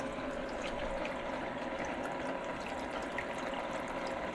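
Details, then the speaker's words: Penguin power filter on a 125-gallon koi tank with undergravel filter and power head, just restarted after deep cleaning and refilling: steady rushing, trickling water with slight gurgles, no rattle or hum; filter flowing normally. "now you're gonna hear it gurgling a little bit and it's gonna go on in there"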